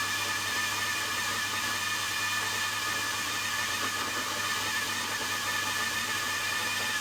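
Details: Milling machine in high gear running fast, fine in low gear and in neutral: constant gritty rattle with a thin whine, sounding like a bag of nails. Gearbox problem suspected, exact cause unclear.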